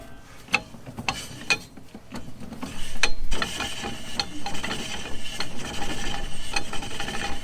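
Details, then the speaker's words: Jeep TJ rear drum parking brake, wheel turned by hand during hand brake adjustment: light, uneven scraping rubs, no grinding; shoes just kiss the drum, set correctly, though the shoes appear worn and due for replacement. "so you can hear it catching that's basically what you want to listen for and you can see it still slides freely"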